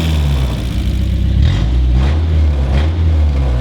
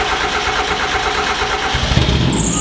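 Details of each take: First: Mazda Miata 1.8 engine swapped into a Datsun roadster, first run in over a year, open headers through a 1-inch exhaust: deep, loud, raw blatty rumble with quick throttle blips; sounds bad but the engine runs, slight lifter tick noted. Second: Miata-engine-swapped Datsun roadster with stock fuel pump, first start in over a year, possibly on bad gas; cranking gives way to the engine catching and settling into a steady, even idle. Normal start.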